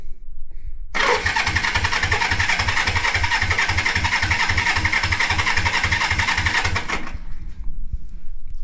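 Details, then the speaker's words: 1973 Honda CB350G twin, first start attempt after 10 years in storage with new battery and cleaned carbs: cranks steadily at about four pulses a second but never catches; no spark until the points were cleaned. "Yeah, so I wasn't getting any spark on the plugs, so I went in and cleaned up the points a bit."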